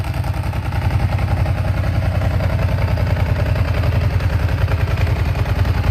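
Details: Ducati 749S at its weekly warm-up: a lumpy, steady twin idle with a dry metallic rattle on every beat, which is normal dry-clutch noise and not a fault.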